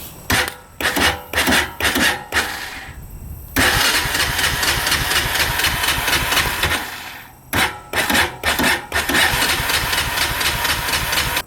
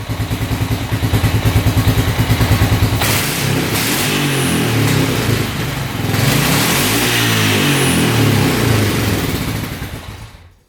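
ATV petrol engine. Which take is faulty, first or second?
first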